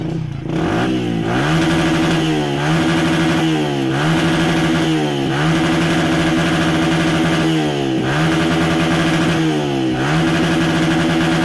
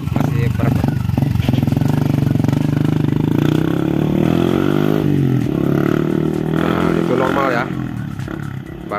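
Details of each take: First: 2014 Yamaha Vixion, complaint of stumbling when pulled to high RPM: repeated throttle blips each climbing then sagging and breaking up near the top instead of revving cleanly; fuel injection about to be checked, cause not yet confirmed. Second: 2014 Yamaha Vixion test after injector cleaning, previously stumbling at high RPM: revs smoothly, pitch climbing and settling evenly with throttle, no stumble or misfire; running normally now.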